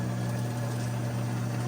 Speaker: hear it grinding right now the beans are grinding in the hopper and then it'll start making the coffee right now